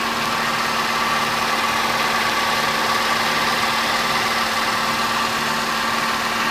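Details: Opel Astra Ecotec after replacing the faulty crank position sensor (P0335, cranked but wouldn't start): even, steady idle with constant hum, no stumbling or misfire; running normally.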